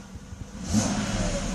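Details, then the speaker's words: Mercedes S500 engine running with the E-gas throttle module under test: quiet idle swells into a smooth, clean rev with no stumble; acceleration good, module works fine. "Acceleration is good. So there is no problem with it."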